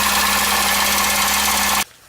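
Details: VAZ 2114 petrol engine that began misfiring with a slight knock: fast, hard rattling knock then abrupt shutoff; teardown found a burnt valve and a broken piston skirt.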